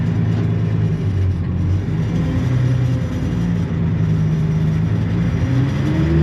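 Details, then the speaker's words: Allis-Chalmers diesel tractor: the idle wanders and flutters, never holding steady. Owner suspects a bad governor ring and that it will need an injector pump; not confirmed. "Honestly, I bet that thing's going to need an injector pump. The way it's fluttering around and not letting stay at a constant idle, which means bad governor ring."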